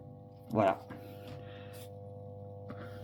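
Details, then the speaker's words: Old fluorescent tube fixture: after one knock, a steady low hum with buzzy overtones; the ballast hums because the metal plate touches it. "voilà d pour le Balace il ronfle c'est parce qu'en fait la plaque elle touche la plaque touche le touche le balast donc ça ça fait du bruit"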